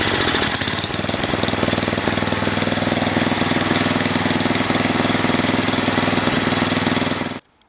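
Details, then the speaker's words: Mastercraft (MTD) 8hp 24-inch snowblower running off choke: uneven chugging at about four beats a second that surges, then the engine dies. It runs on full choke; a clogged, dirty carburetor is suspected. "shot a couple of Clips earlier the way it's running surgeon real bad when the choke is not on"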